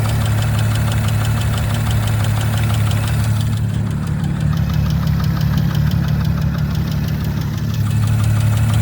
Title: 19 Audi RS5 B9 ticking sound. Anyone know what might be this? #audi #rs5 #b9